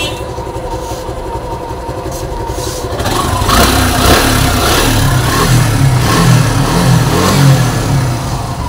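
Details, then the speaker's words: Suzuki Gixxer SF at idle and revved: light metallic "tak-tak" rattle growing louder with revs, typical of a worn cam chain tensioner letting the chain slap. "तो इसमें engine में sound आ रहा है ट टकटक जैसे sound होती है व साउंड आ रहा है"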